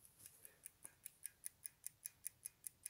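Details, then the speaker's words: Sauter clock in working order, faint fast even ticking at a steady rate; the case muffles the sound well; movement running normally. "et si on la pose sur le tapis on entend presque plus rien donc c'est vraiment pas mal ce petit truc"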